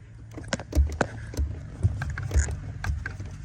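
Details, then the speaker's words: 2023 Kia Forte GT, about 9,000 miles, after spraying WD-40 between metal and plastic of the clutch pedal: soft thumps and clicks as pedal is pumped in and out over low hum, no more squeak. "In and Out guess what problem solved no more squeak"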